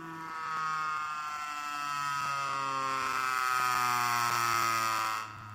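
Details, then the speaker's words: Motor/generator rotor with nanocrystalline shim material, too much cogging, can't exceed 926 rpm: harsh electrical buzz with stacked tones, pitch sagging as rotor drags down, then cuts; magnetic field through nanocrystalline material acting like a brick, suspected cause. "you can tell by the noise that there's a serious problem that's the magnetic field through the nanocrystalline material it's acting like a brick right"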